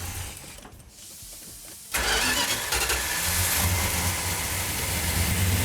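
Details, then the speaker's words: 340 V8 Plymouth Duster (A-body) on first start after restoration, choke held, no primer fuel: catches at two seconds and settles into a strong, steady, even run with no misses; sounds healthy. "look at that wow you like that justin sounds healthy what sounds healthy what oh it sounds good yeah fantastic"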